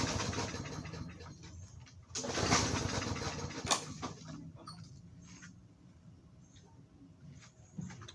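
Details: Push mower with carb cleaner sprayed in and oil checked good; owner plans to clean the carburetor if it fires. Two hard pull-cord cranks, each with a brief splutter, then quiet: cranks but won't start.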